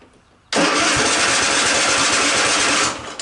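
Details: Cub Cadet XT1 46-inch riding mower, no-start, battery boosted with jump pack, fully choked: about two seconds of steady rapid cranking with no engine catching; cranks but won't start, later shows E3 error code.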